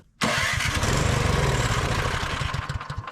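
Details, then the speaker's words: Older curbside Craftsman MTD-built snow blower, after needle straightened and fresh fuel added, catches almost at once and settles into a steady, even putter with no misses; normal start. "Yeah, I could hear it priming. Success."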